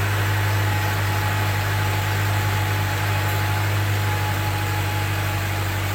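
Steady low even engine hum with no misses or knocks, smooth regular idle throughout; normal healthy petrol idle after a jump-start.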